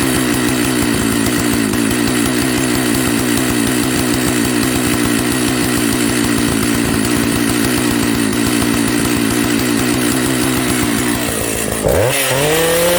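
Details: Old Jonsered 930 project chainsaw at high idle: steady buzz with crisp, even firing, then it winds down abruptly near the end, so it runs. The bearing underneath is dry.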